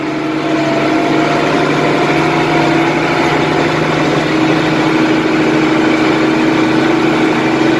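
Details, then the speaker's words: IH 1586 diesel tractor after injection nozzle removal and reinstall, hood off, pulling a light load: steady even drone with no ticking over the rumble; owner hopes the fix worked, with the earlier tick gone. "But it obviously hasn't blown out yet because I'm not hearing a tick, so I think my fix. Hopefully it worked. Nice good little load for it."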